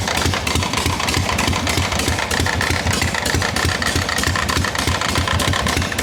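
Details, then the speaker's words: Harley XLCH chopper, bench-running, not yet ridden, just after refitting the kicker: uneven lumpy V-twin idle with a faint scraping, rubbing edge under the beat. Owner says something's wrong inside the clutch, something's rubbing. Cause unconfirmed. "Something's wrong inside that clutch. Something's rubbing."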